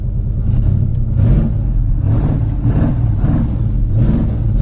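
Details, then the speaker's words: Classic carbureted Ford Mustang Mach 1 V8, an auction car: a deep strong rumble swelling with repeated throttle blips and settling cleanly each time; sounds good and healthy. "she sounds good man"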